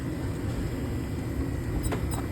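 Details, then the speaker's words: Exhaust hood fan, labelled 115 V single-phase motor, running: rough, churning low rumble with scattered ticks, sounds terrible. Drive belt is chewed up and the pulley is misaligned, running downhill; motor being replaced. "okay oh actually look I missed that yesterday the belt is chewed up it's also pce not wonderfully aligned runs downhill"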